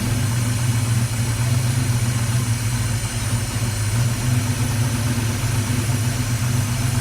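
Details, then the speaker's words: Dodge Challenger V8 just after first start following fuel system refill, timing possibly advanced and throttle blades unadjusted: steady, deep, even idle with no lifter rattle, grinding or scraping; healthy. "That's pretty good. Sounds great, really. I didn't hear any weird engine noises, no loud grinding, no scraping."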